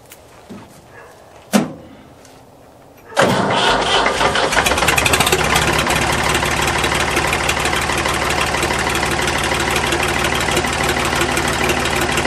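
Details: Ford 555 backhoe three-cylinder diesel after valve lash adjustment, running with raw exhaust: it starts after a few clicks and settles into a loud, even idle with no valve train tapping. Normal idle after repair.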